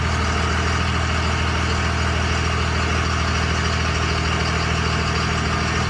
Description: 2001 Ram 2500 5.9L 24v Cummins HO 6spd NV5600 weird ticking noise coming from rear end... Help me figure it out please!